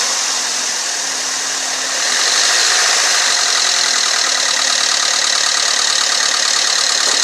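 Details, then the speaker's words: Chevy Malibu with P0335 code, neglected and run with no oil on the dipstick, suspected timing chain/VVT oil-pressure damage: a fast metallic rattle rides over the revs at light throttle (held about 250 on the rpm gauge) and eases when the throttle closes. "what I'm gonna do is give it a little gas hold about 250 on our rpm you'll hear rattle again and when I let off the gas it'll fresh no filipino subside"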